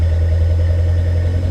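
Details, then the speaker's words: Lancia Delta race car engine, idle: deep steady burble, faint occasional ti-ti-ti with slightly extra valve clearance; sounding better than ever. "sounds all right you can just hear that ti ti ti every now and then sounding better than it ever has"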